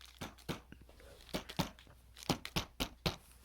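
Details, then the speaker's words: 2014 Jeep Grand Cherokee WK2 diesel, about 50,000 miles: irregular dry taps and buzzy clicks, about four a second, as the door panel vibrates on only two retaining clips without Tesa tape; loose door panel clip rattle. "you can definitely hear a lot of vibration so over time when the panel retaining Clips on the vehicle start to wear down"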